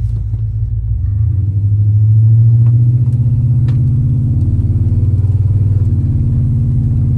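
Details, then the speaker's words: Truck rear differential after rebuild with a new gear set, warmed up in forward and reverse then test-driven; steady low rumble with no gear whine rising with speed; rear end sounds quiet and healthy. "working good so far really nice and quiet i promise y'all guys if you've ever heard a rear-end wine you know what we're listening for"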